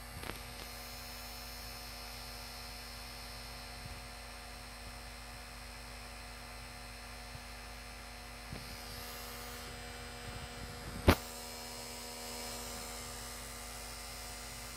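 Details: PS4 Slim after fixing dislodged disc drive rollers: with a game disc inserted, a loud steady electrical buzz drones from the disc drive, one sharp click midway; owner suspects disc drive or fan issue.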